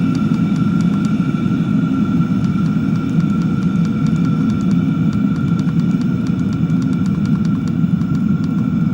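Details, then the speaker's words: Chinese diesel heater turned down to its lowest fan speed, which also slows the fuel pump: soft, steady fan whoosh with light, slower, regular pump ticks; normal running on low fan. "So it looks like that's probably the lowest speed for the fan, which is honestly probably sufficient."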